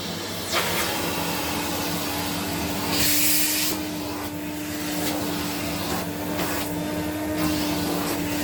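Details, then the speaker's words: 1979 Electrolux Z96 cylinder vacuum, floor head on carpet: steady mid-pitched motor hum under airy rush swelling and dipping as head moves; motor sounds strained, owner suspects it needs suction control/air release. "I think this would benefit from having a suction control because it sounds when the when the floor head is on the carpet sounds like it's struggling a bit it's like it needs a release of air or something"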